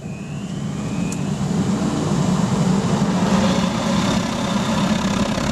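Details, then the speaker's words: Pot belly stove with gravity-fed waste oil burner and blower, running hot and being throttled up after startup: steady even deep roar building slightly, no pops or surging; burning clean and healthy. "just got to love that sound you can probably tell from the color of the drum it's getting nice and hot there no question about it"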